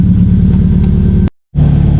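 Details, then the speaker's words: Subaru Forester STI build, stock longblock, Precision 6870 rotated turbo, on dyno with new plugs and coil packs: loud heavy revving cuts out abruptly then picks back up, like timing being retarded, worsening; breakup traced to a loose, faulty crankshaft sensor connector. "all right boys so obviously saw there was acting pretty weird and it seemed like the issue was getting worse from the last time we were on"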